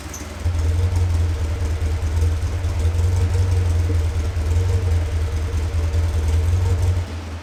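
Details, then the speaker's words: Caterham Super Seven 1600GT Sprint, 27 years old, original muffler with burnt wool packing: silencer removed, deep loud open exhaust throb swelling with light throttle; packing needs refilling. "少しだけサイレンサーを外して音を聞いてみましょうか凄くうるさいのですがとてもいい音がしますよ"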